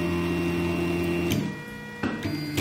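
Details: Anycubic Kossel delta 3D printer, head rising at print end; steady musical stepper hum with shifting pitch, even and free of grinding or skipping, normal stepper sound.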